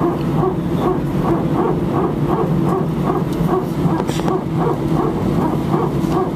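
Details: Air France Airbus A319, flight AF2487 Sofia to Paris, recorded from cabin seat 18F during taxi: cabin rumble with rapid, regular bark-like pulsing about twice a second; very strange repetitive barking noise, source not pinned down.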